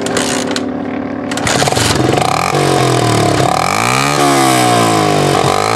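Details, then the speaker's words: 1980 Honda XL250S single-cylinder, before repair, at idle with throttle blips: a harsh, raspy, far too loud bark because the muffler end rotted out and fell off; not so bad at idle. "at an idol it's not so bad but that's the kind of noise that doesn't endear you to the neighbors"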